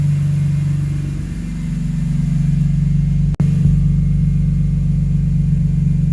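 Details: BMW after VANOS rebuild, code P0012 and AC stopped blowing: steady, deep idle rumble with an even beat about four per second over a heavy low drone; abnormal engine noise, source unclear.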